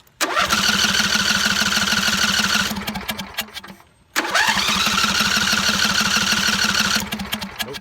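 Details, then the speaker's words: John Deere mower after new spark plugs and cleaned coils and magnets, started without choke: engine catches, runs about two seconds and fades out, twice; still won't start without choke, though the popping is gone. "still don't want to start without choke though but there's no more popping and that was what we wanted"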